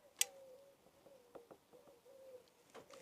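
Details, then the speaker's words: Honda motorcycle with CBS ABS linked brakes: wavering, jerky, squeaky creak with sharp clicks as the brake lever is pulled, from the dry cam where the lever pushes the master cylinder piston; pivot also needs lubrication. "It's like creaking as you pull it in. It's sort of jerky. Put your mic back on. Um, it's not the pivot, although the pivot probably needs to be lubricated. It's the cam where the lever pushes against the piston in the master cylinder."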